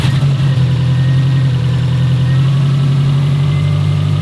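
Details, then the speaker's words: 2005 Subaru STI after fixing P0011 (incorrectly installed cam gear replaced, new AVCS solenoids, timing redone), first start after oil priming: deep, steady, even idle rumble, no misfiring; alternator smoking separately; normal idle. "The car sounds better to start with. Let's get that. It actually sounds like it's not misfiring anymore. Everything's in sync."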